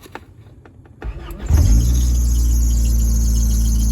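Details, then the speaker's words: 1994 Honda Accord (F22B2) at startup: starter cranks briefly, engine catches, and a thin high belt squeal rides over the idle; belt was fitted a little loose by the previous owner, alternator needs tightening. "Hear that belt squeak you guys are imagining? I don't hear it cuz y'all are imagining it. I need to tighten that alternator up tomorrow. The dude put the belt on a little loose."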